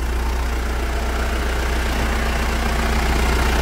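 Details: Mitsubishi Triton 3.2 diesel after decarbonization by another shop, turbo audible; deep, smooth, steady idle with no knocks or whistles; engine and turbo running properly.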